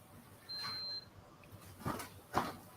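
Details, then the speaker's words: Printer receiving a print job, green light showing data being received: a single high beep of about half a second, then a couple of soft clicks. The job never prints and the printer keeps beeping. "the green light comes on saying sending, you know, receiving data and then it beeps and it will never print."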